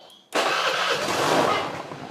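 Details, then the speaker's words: Carbureted Honda Vario, cold morning start: engine catches at once but settles straight into a low, slightly sagging idle with no raised fast idle, though it normally rises then drops; owner says it changes when hot; no cold-start fast idle. "oke nah Ini saja seharusnya kalau motor ini secara normal itu kan dihidupin pertama kali dia langsung meninggi cukup otomatis itu loh mas bro ya Setelah meninggi dia turun kan begitu toh nah ini masih kondisi dingin dia kondisi langung begini"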